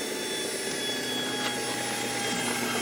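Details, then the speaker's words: Gen1 Nissan Leaf motor driven by the Leaf inverter in a DIY EV build, almost no load and no oil in the gearbox: a thin electric whine with high fine tones fades gently as the rpm slowly falls; normal motor coast-down. "and you can hear that's slowing down it's slowing down quite slowly because it's a very very low load on it"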